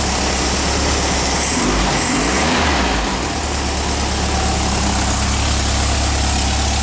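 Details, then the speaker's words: 1959 VW single cab pickup engine on a new exhaust, cold start after flooding: steady, even, quiet low idle with a smooth unbroken beat, no knocks or misses, charge and oil lights out; normal idle. "there you go doesn't sound bad at all it's quiet oh he doesn't sound bad at all yeah we might go with that motor sounds good"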